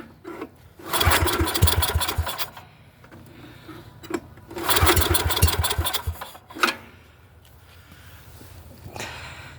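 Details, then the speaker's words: Neglected Yamaha 624 snowblower, choke closed, started on sprayed carb cleaner. Two short bursts of ragged firing, each dying within seconds. It fires briefly on the starting spray, then dies. "It was running for a couple seconds, but I'm trying to show you that. Well, it does turn over a lot better than that. It almost started."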